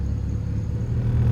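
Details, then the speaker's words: 1995 Honda Civic coupe, warm, after replacing the idle air control valve: smooth, even idle around 1000 rpm with no dips, stutter or dying. The check engine light is still on. "Idle is perfect, guys. So idle, it doesn't even die off anymore. It doesn't stutter or anything at all."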